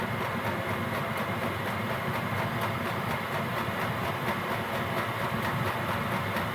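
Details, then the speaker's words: Gearlasso 8kW 12V/24V Chinese diesel heater in manual gear mode, about 18 minutes running, set to program 10 highest output: steady even roar with faint regular pump pulse as pump speeds up, no surging or knocking; burning cleanly, normal full-output run. "And you'll hear the pump start speeding up cuz this is now at the highest level output."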